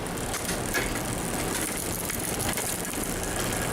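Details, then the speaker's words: Newly built mountain bike with a SRAM X7 rear derailleur after B-screw adjustment: only a soft, steady chain whir with no clatter or skipping; it shifts all the way down without going over, nice and quiet. "See how quiet? Burn. And that goes all the way down without going over. See, that's nice and quiet."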